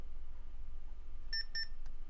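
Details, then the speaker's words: 1997 Dell Latitude CP laptop, sent in as "will not turn on", powered on cold with no drive installed: two short paired high beeps over a quiet hum as the power light comes on and the backlight warms up, a normal POST beep from a working machine. "hear beeping. The screen is warming up, the backlight's turning on, and there's no drive, so this machine works."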